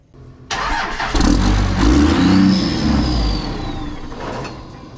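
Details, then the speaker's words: 2001 manual Cummins diesel salvage truck, first start: revs for about three seconds, then sags and stalls; owner suspects it is out of diesel or the alarm, and the dash shows four-wheel drive. "that's weird i can rev it but it just dies that is oh great now it's showing it's in four wheel drive no huh let me try one more time just shuts off"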